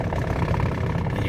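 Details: Pontiac G6 convertible revived after years in storage, running on very old gas, transmission low on fluid, whole car shaking: low, uneven engine drone with a slightly unsteady beat at idle; rough running, cause not yet found.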